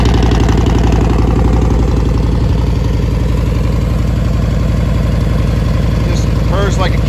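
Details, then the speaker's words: 2002 Yamaha Warrior V-twin with factory big air kit and velocity stacks: loud, even low-pitched thump at steady idle, no knocks or misses; owner says it runs great with RPM set right. "a kid, runs great. RPM set right."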